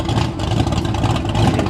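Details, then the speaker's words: 1989 Ford Mustang GT V8 exhaust at idle after new fuel system: deep lumpy rumble pulsing evenly at steady level, nothing out of place; normal idle exhaust note. "pretty much hear it there oh she sounds extremely well so good"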